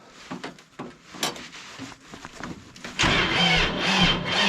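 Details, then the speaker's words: Diesel tractor in freezing weather, cranked after using the glow plug: scattered knocks, then a sluggish, labouring crank for a couple of seconds that never fires. The oil is too cold, and the oil pan heater was not enough. "Ooh. Oh, I don't think it's gonna do it. That oil's cold. I've got a heater on the oil pan, but it's just not doing it."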